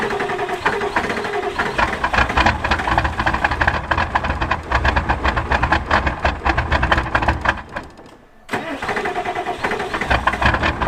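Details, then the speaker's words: 1986 Ford F250 7.3 turbo diesel, hard cold start on a northern morning: long, labored cranking with uneven chugging, a pause, then more cranking. "she's ornery this morning."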